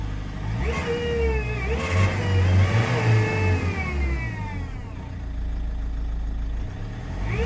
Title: Ford Mondeo mk4 2.0 tdci - strange sound. No fault light. Limp mode.